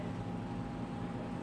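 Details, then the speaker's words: Outdoor AC unit on an old apartment railing, running after rubber bands were strung zigzag across the railing: steady low hum with a faint even tone and no railing rattle. "전혀 소음이 들리지 않고 있어요"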